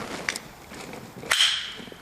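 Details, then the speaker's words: Mazda Miata convertible top latch after fitting new screw: three sharp metallic snaps with tinny ring, latch now locks but still rattles; clasp cushion to be installed next to cure rattle. "oh yeah well we can hear it there's a rattle to it now little a rattle there it locks now but there's a rattle to it"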